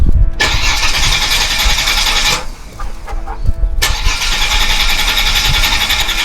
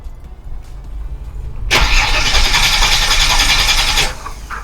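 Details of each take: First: Holden VY Commodore (listed as both 3.8 V6 and 304 V8), unstarted for 7 years, with about 304,000 on the odometer. After checking fuses the fuel pump is heard; short crank, engine catches, idles steadily, stops and restarts cleanly. Normal start and idle. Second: Holden VY Commodore (listed as both 3.8 V6 and 304 V8), not started for 7 years in a backyard with possible rat damage. Fuel relays refitted and fuel pump suspected. Steady starter whirr for about two seconds with an even rhythm, no firing: crank, no start.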